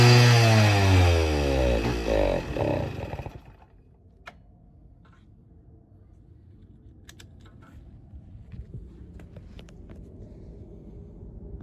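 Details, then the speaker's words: 1972 Suzuki RV90 two-stroke with an aftermarket eBay carburetor, starting only on starting fluid: fires and revs briefly, then sags over three seconds and dies, unable to hold an idle despite carb adjustments; points and coil are also being checked. "a new carb aftermarket carburetor, it would start if you spray a starting fluid, but it won't idle. tried to dial it up, but no luck."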